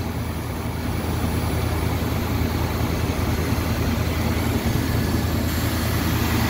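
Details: 1974 Chevy C30 wrecker, 350 V8, just revived after five or six years sitting, burning some oil, bad oil leak: steady, fairly even low idle with a deep rumble and no knocks or misses; runs fine.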